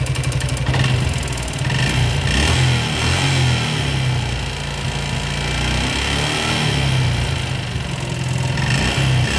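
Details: Suzuki Gixxer single-cylinder motorcycle idling and revved, piston ring work involved; rough uneven clatter over the exhaust, noisy top end, cause not pinned down; engine noise.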